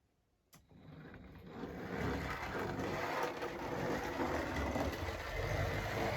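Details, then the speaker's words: Triang R.253 Dock Shunter model locomotive on a test run, with large-flanged knurled wheels riding on the rail clips: a small motor whirs with gear buzz and irregular clicking, running unevenly. The owner suspects it needs oil or a service. "it does run, maybe not perfect, might be due for another service. Even rights itself after come out of that bad point."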